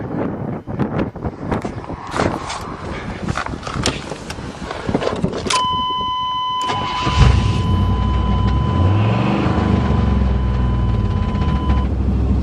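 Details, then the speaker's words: 1988 Chevy truck V8 after swapping carbon-bridged fouled spark plugs on the rear cylinders: after a chime it cranks, catches and idles with a slightly uneven pulse; sounds much better but owner suspects one cylinder may still be missing. "somewhat better sounds a lot better but might be missing on one right now so I'll have to do the test all over again"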